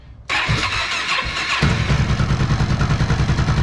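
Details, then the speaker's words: Honda XR650L after camshaft swap removing the sticking faulty decompressor that caused top-end clicking; cranks briefly, catches, settles to even single-cylinder idle with no top-end clicking; some cold noise believed from the crankshaft gear. "oh well doesn't that sound beautiful this noise down here goes away all these bikes make you when they're cold that's uh i believe the crankshaft gear is down there making some noise you"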